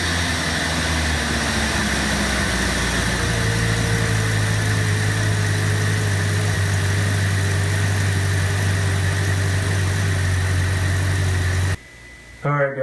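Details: Engine after fixing a high idle by adjusting the throttle position sensor, set to about 82–83 on the meter; steady, even idle with a settled low hum, no hunting or surging, normal idle speed.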